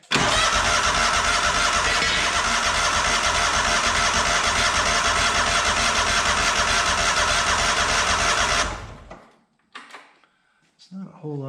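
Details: Cub Cadet 1864 lawn tractor with poor running, fuel system troubleshooting, vacuum line hooked up to check the fuel pump pulse: steady, even cranking chug of about 200 per minute for eight seconds, then it stops without catching; weak fuel delivery suspected.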